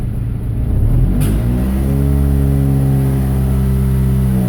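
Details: 1999 Honda Civic D15/Y8 revving hard: pitch climbs with an uneven stumble at high rpm, misfire only after VTEC engages. Owner hears a metal-on-metal ping and suspects a sticking VTEC crossover pin; fine until VTEC again.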